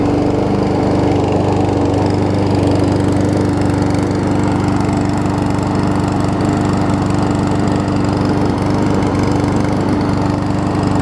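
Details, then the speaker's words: Troy-Bilt self-propelled mower with donor Honda engine replacing blown Briggs; surges a little on starting then catches, smooth constant hum, no misses or knocks; seemed low RPM, governor spring moved to second linkage hole, which helped. "So let me give you all a start here. Surges a little bit until it finally catches. There we go."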